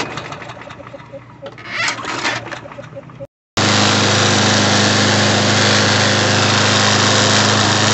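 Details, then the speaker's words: Snapper SE self-propelled mower, model 7800831, with a Briggs & Stratton 725EX engine, running during a throttle adjustment; loud, rough single-cylinder note with a shaky, buzzing rattle from an unbalanced blade, which is why it vibrates and why it's in for repair. "all right so this thing's got an inbuilt uh uh unbalanced blade that's why it's vibrating like that so this thing's here for repair"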